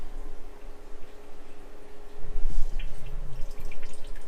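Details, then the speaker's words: Suzuki Bandit 1200S motorcycle, engine off, microphone facing the fuel tank: steady faint trickle with occasional drips as fuel leaks past the petcock; engine was hydrolocked, with fuel pouring out when the oil was drained. "I've got the microphone facing the tank. You can just hear it trickling away. You can hear the thing trickling away, and this thing was definitely hydrolocked."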